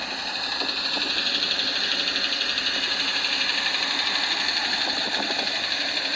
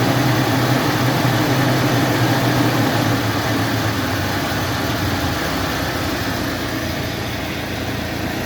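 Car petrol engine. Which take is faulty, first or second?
first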